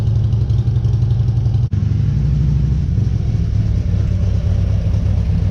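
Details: 2014 Harley Street Glide 103" after vehicle speed sensor (P0503) replacement and starter reinstall, no stored codes: deep, loping V-twin idle holds steady after a brief drop, with no misfire or clatter; running normally.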